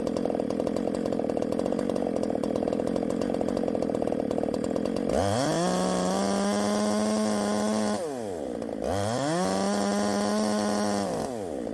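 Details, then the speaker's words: 372XP clone chainsaw revving hard through cuts, its high scream wavering and burbling at the top end from too much ignition advance, not four-stroking; advance is to be reduced. "too much Advance we're going to take some out too much Advance that's when all that noise is up top"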